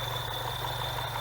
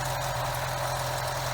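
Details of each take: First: BMW 116/316 engine at idle, before repair: steady high-pitched belt-like whistle over smooth idle, stopping when the oil dipstick is pulled; not the belt but a faulty PCV valve diaphragm in the valve cover. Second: BMW 116/316 engine at idle after the repair: steady, even idle with smooth low hum, the belt-like whistle gone; engine healthy after repair.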